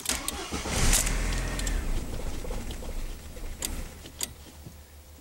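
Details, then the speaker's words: 1999 VW Passat 1.8L turbo with a faulty mass air flow sensor: with no throttle it starts with a brief burst, runs about a second, then fades and dies. It had rough running, surging, knocking and missing; the ignition control module was also replaced. "of starts and then wants to just fade away real quickly that's horrible here I'm not even going to touch the gas this time he wants to start and run for a second and then it just dies sounds good for like 1 Mississippi 2 Mississippi Wham"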